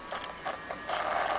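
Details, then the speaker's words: Xbox 360 disc drive after a magnet fix attempt: short mechanical rasps, then steady grinding whirr; laser not moving back and forth, unplayable disc error persists. "still the laser is not moov back and forth you still hear the grinding noise"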